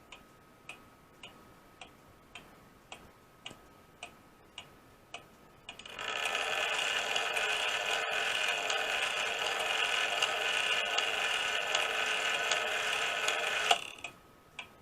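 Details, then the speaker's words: Restored Seth Thomas weight-driven clock movement, out of its case on the bench after rebuilding the drilled-out count wheel and pivots and closing openings: crisp, evenly spaced ticks with a whirring strike-train run, no gong fitted yet; normal ticking. "it's running now we've got it up running hanging here that's the weight you hear it ticking"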